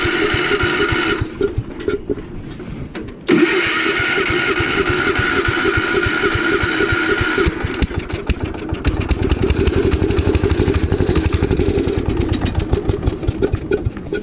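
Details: Gravely Commercial 12 34" snow blower, cold start after about a month unused, in snowy windy weather: repeated pull-starts give rapid uneven chugs that catch briefly, then fade. Hard starting; the owner suspects a fuel problem, possibly ice in the carb bowl, unconfirmed.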